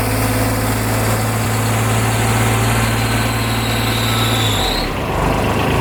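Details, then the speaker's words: 2007 Kubota RTV900 diesel UTV on a test drive: a thin, high squeal rides over the low diesel rumble, holding steady and then dropping away; the drive belt is squeaking. "that squeaking sound? I think that's about [Music] Yeah, that belt is squeaking."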